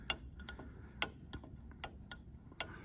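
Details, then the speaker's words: Sicar Sega 300 panel saw rip fence lock lever reassembled: crisp, evenly spaced clicks about once a second as the lever snaps in and out of the detent; tension screw can be wound in for tighter but not too far; normal clicking. "so you can hear it clicking in and out and if you want that to be a bit tighter yeah you can just wind this in"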